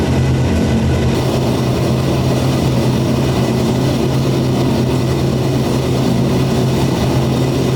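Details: 427ci single-turbo LS V8 in a C6 Corvette drift build at first startup; deep, steady, loud idle with an even lumpy beat and no misses or knocks; normal idle.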